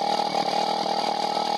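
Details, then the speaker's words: Single-cylinder bike carburettor tuning, air screw opened to highest revs: fast, steady idle that won't drop to a slow beat even with idle screw at minimum; idle too high. "Alors le seul problème de cette histoire c'est que comme vous entendez, c'est relativement haut, je ne peux pas baisser plus alors que mon réglage de ralenti il est au minimum."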